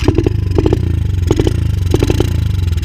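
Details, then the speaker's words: 125 cc dirt bike: low steady drone broken about every half second by sharp popping on the throttle, spitting back through the carburetor; idles fine, owner suspects an intake problem. "Je pense qu'on a peut-être juste en fait un petit souci là au niveau de l'admission. C'est bizarre, on dirait que ça refoule."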